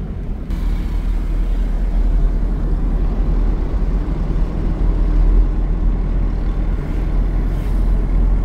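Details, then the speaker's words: 2000 Ford Ranger road test after replacing the rear differential, wheel bearings, pinion and carrier bearings and oil seals, mic aimed low: only a smooth low road rumble, no gear whine, hum or clunk from the rear axle; differential now quiet. "Sana wala nang ingay yan. Let's go. Grabe, sobrang tahimik na guys. Nakakatuwa."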